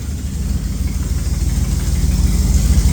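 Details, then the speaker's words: 1976 Dodge W150 Power Wagon V8 at idle with cherry bomb mufflers: loping beat with a sharp ticking puff on each pulse, about three per second, from an exhaust leak up front; sounds okay out the back. "you can kind of hear the exhaust uh leak there couple of CH cherry bombs in the back you can definitely hear that uh exhaust leak up there but she does"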